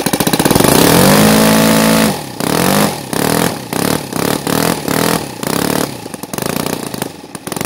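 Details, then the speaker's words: NGH FG 38 model engine, CH ignition timed at 30° BTDC, Topflight 20x6 prop: revs climb smoothly, then power surges and drops about four times a second. Rough throttle transition; owner suspects carburetor fuel pooling and a bigger venturi needed. "think it puts you a different choice on the carburetor because it's pooling up it's not quite there transition it's not running"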